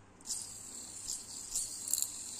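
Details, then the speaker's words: Yamaha Aerox right camshaft bearing spun by hand gives a thin, scratchy rasp with uneven gritty bursts. It is worn and rough, and replacement is planned. Engine earlier ticked when hot after an intake valve clearance adjustment. "Tuh, udah ngekrek-ngekrek. Karena emang udah jelek ya si ee bearing-nya ini. Jadi emang udah selayaknya kita ganti."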